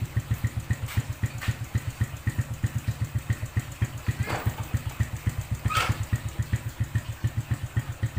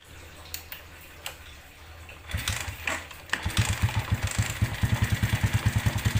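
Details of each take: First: Suzuki Smash New motorcycle after the loose clutch bolt that caused a rough clutch-area noise was reinstalled: steady single-cylinder idle, even low thumps about four a second, no rough clutch rattle; back to normal. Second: Suzuki New Smash motorcycle at idle: harsh rough knock pulsing two or three times a second from clutch area, caused by a loose clutch stud that came out; refitting it restored normal sound.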